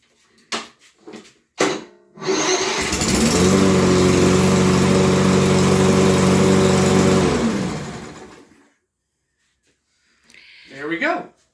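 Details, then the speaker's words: Toro electric-start lawn mower, about five weeks old, that would not start; after replacing a blown 40 amp fuse, the starter cranks briefly, the engine catches and holds an even, steady beat about six seconds before shutting down cleanly. "so went over to uh the autozone got a 40 amp fuse we're gonna put it in and we're gonna give it a shot"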